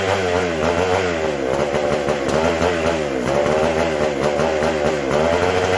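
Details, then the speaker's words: McCulloch SP125 chainsaw, same symptoms return: raspy revs hunt and surge without settling, lean; not drawing fuel or pulsating, owner unsure whether sealed-off gas cap lets the tank vent; a large carb-to-intake gap was later found. "Well, okay, it's kind of doing the same symptoms. Oh, I forgot I had the gas cap completely sealed off, and I don't know if this tank vents properly or not. Not wanting to pull fuel."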